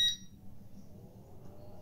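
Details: Geeetech Alkaid resin 3D printer switched on: a single short, high-pitched beep at power-on, then only a quiet room hum; normal startup signal.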